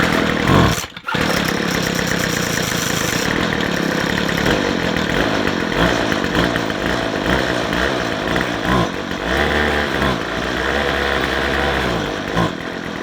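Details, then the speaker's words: McCulloch two-stroke strimmer that won't run off choke: when revved it goes bop-bop-bop, pulsing and bogging instead of climbing. It is short of fuel, and a blocked fuel filter or other blockage is suspected. "That sound, when you rev it, it goes bop, bop, bop, and doesn't rev. That means it hasn't got enough petrol."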